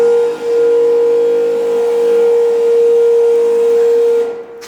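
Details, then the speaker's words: Civic converted to AWD, first start after build: fuel pump just plugged back in after fuel level wiring, primes with a clear steady whine about four seconds then cuts off cleanly; normal fuel pump priming. "the fuel pump priming sound is something I don't think I'll ever get over it sounds so [Music] sick"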